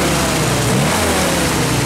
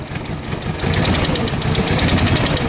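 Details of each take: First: 1948 Willys CJ-2A Jeep after sitting 12–14 years, revved: now firing on all four cylinders, fairly even beat with a faint residual miss; a stuck valve suspected. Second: 1948 Willys CJ-2A Jeep, first run after sitting 12–14 years, running a bit rich: rough uneven idle with stumbling beat and dropped firing pulses; engine missing on a cylinder, cause not confirmed.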